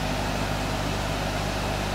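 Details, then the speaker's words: Electric motor from a compressor after new bearings were installed, bench test run: steady even hum with no knocking or grinding, only fan noise; far quieter than with the old bearings, successful repair. "there is absolutely no bearing sound now compared to the old bearings this is extremely silent so I would call this a successful repair"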